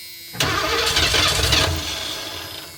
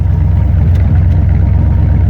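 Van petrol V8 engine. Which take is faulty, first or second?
first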